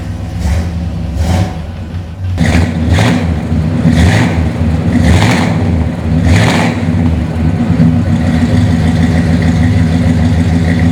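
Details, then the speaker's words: 1965 Pontiac GTO, matching-numbers 389 V8 335hp, Turbo 400 automatic, correct bumper-exit exhaust; several quick throttle blips, catches in about two seconds and settles to smooth deep even idle. Normal start and rev. "Because you know what? Although this is a great driving car, it sounds great too."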